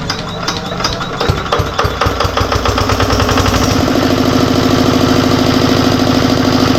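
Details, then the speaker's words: Diesel generator that smoked heavily and ran overloaded because of an alternator fault: after the alternator's burnt component is disconnected, rough knocking settles into a steady, even diesel beat of about three per second, running free and unloaded. Normal running. "तो जैसा कि अभी आपने देखा हमने डड को open किया और मशीन हमारी पूरी फ्री में चलने लगी"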